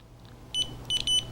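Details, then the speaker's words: A/C compressor clutch coil continuity check with multimeter on a returned compressor: four sharp high beeps as probes touch, coil has continuity and compressor is still good; owner's fault is elsewhere in the electrical system. "We should, if the coil's good, be able to hear continuity, the little beeping"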